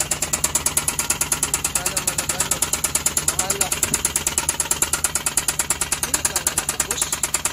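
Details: Suzuki K6A engine: a sharp, even knock about three times a second over the idle, pointing to a damaged piston and liner, which were replaced in an overhaul.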